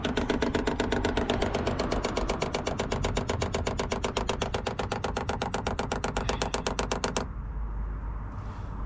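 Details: Cheap Chinese diesel heater fitted in a Peugeot Boxer van, fuel tapped from the van's tank with a long line to the heater: dosing pump priming, sharp even ticking about four per second for seven seconds, then stops; normal priming clicks, fuel filling the filter.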